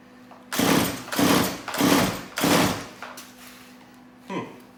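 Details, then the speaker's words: Stihl MS180C chainsaw on full choke fires in four short bursts that each die within half a second; a spark plug check suggests no fuel delivery, so a carburetor fault is suspected (later fixed only by a replacement carburetor). "um so it is probably the carburetor issue um it did kind of kick for me there which got me a little bit excited"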